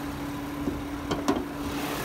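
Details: 2006 Toyota Sienna XLE, hood open: smooth steady idle with faint light valvetrain and injector ticking, which the phone mic exaggerates, plus a couple of handling clicks; engine sounds normal.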